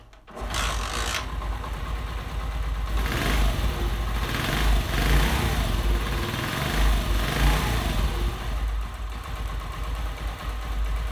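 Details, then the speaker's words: Honda 70 motorcycle single-cylinder after tappet (valve clearance) adjustment with feeler gauge: starts quickly, even quick putter with a light blip, no tappet clatter, now fully smooth; normal idle. "और फिर difference है बिलकुल smooth हो चुकी है bike है"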